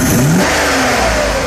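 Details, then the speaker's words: V8 with a mechanical fuel distributor that runs badly after a poor rebuild, cylinders six, seven and eight dead despite strong spark: engine lifts briefly on throttle, then sags and fades instead of pulling. "accelerate but that's it just dies out so six seven and eight are not working"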